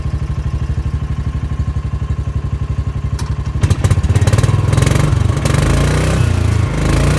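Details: Kawasaki Mule 610 after repairing a carb flooding and hydrolock problem: steady thumping idle, then it catches into a louder, smoother run with rising revs; the engine starts and keeps running.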